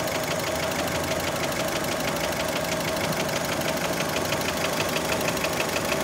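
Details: Warm idle of a Fiat Panda engine with a fast, steady light tapping about three per second; knock present, piston skirt suspected by many, not confirmed.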